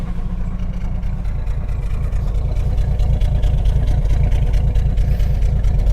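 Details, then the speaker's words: 1987 Jeep YJ 4.2L AMC inline-six, carbureted, sat 7+ years, no accelerator pump: lumpy rich-sounding loping idle about two beats a second; owner suspects too rich, possibly wrong carburetor, unconfirmed. "Yeah, I think it's rich. it could be something entirely not related to that. It could be that this is the wrong carburetor and it's getting just way too rich."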